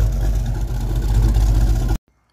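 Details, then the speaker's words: Mustang V8 on cold idle after fitting new factory-style tailpipes: deep lumpy rumble with faint ragged crackle, louder at lower idle, then shut off; passenger-side exhaust leak. "now the passenger side is leaking ah and the lower the idle the more you can hear that exhaust leak the crackle"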